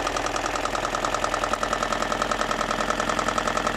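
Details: BMW M42 engine idling with a light, regular tapping a few times a second; knocking present, source unclear.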